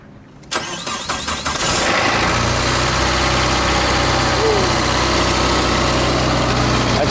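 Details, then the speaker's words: Mitsubishi Galant, cold start, reported sounding like a helicopter and hammering: cranks, catches, then a rough idle with uneven rapid knocking; bottom-end problem suspected, not confirmed. "Like a hammer sound like a hammer sound - something was beating inside of it well of course it's cold right now"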